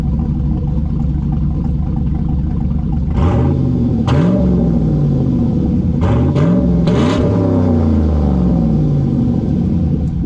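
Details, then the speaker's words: 2009 Chevy Tahoe V8 with engine rebuilt about 9 months earlier, warm after 15 minutes, water temp near 210, oil pressure about 40 psi, heard from rear; deep loud idle rumble with clean blips, healthy but loud exhaust. "a little too loud for Street driving for me for a pickup truck anyway we're not necessarily pickup truck you know daily driver for the family but it sounds okay"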